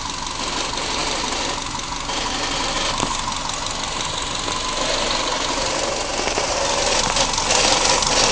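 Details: 1994 Subaru Impreza L EJ18: a fast, tinny metallic rattle over the running engine, first suspected to be transmission. Fixed after finding a loose bolt on the headers heat shield that made the shield rattle.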